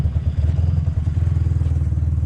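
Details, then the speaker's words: Engine with a big cam, on premium fuel, at idle: a lumpy, uneven idle with irregular stumbles about every second; idle air-fuel ratio swings from about 13 up to 18–19, very lean, causing a misfire. "it's got a big cabinet and it's also getting like a full miss for some reason"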